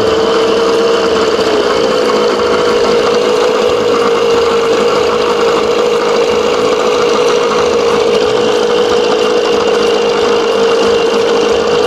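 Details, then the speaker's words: 1987 Johnson 6 hp two-stroke outboard, mixture screw out 1.5 turns, smaller jet fitted, timing about -8 at top dead: even, steady buzzing idle with no misses, knocks or hunting; running clean and healthy. "Boy, she sounds good. Listen to that. Dead center."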